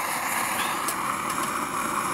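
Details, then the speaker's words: Dual-fuel pressure stove on unleaded gasoline, fuel fully vaporised after preheating: steady, loud hissing roar with an even airy rush and no sputter or surging; clean, normal but noisy running. "and that's quite a clean flame burning there you might also note that it uh yeah it's pretty noisy [Applause] too"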